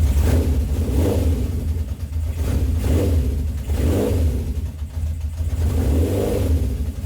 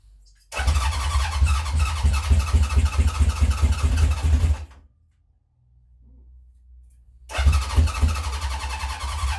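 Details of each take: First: 1970 Honda CB750 K0 four-cylinder, slightly warmed up after first start in about 30 years, electric start: even, smooth note with clean throttle blips every second or so, settling back each time; sounds very healthy. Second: 1970 Honda CB750 K0 on first start after decades sitting, remote fuel tank, choke on: two long bursts of cranking with ragged firing that never catches; owner suspects it is short of fuel. Cranking, fails to start.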